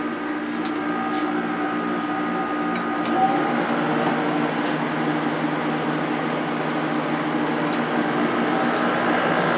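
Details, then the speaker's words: 8500 BTU Sharp window air conditioner with Matsushita compressor and Samsung fan motor, just started on a spring day, compressor started instantly: steady even fan and compressor whir, low hum, no knocks or rattles; running normally. "Okay, this unit is plugged in. Let's start it up. Compressor started instantly."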